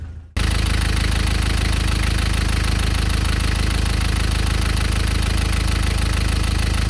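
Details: Nissan Terrano TD27 diesel after water pump replacement, started with glow plugs at 25° temperature: catches at once, settles into steady, even diesel clatter at idle with no misses or extra knocks; running healthy.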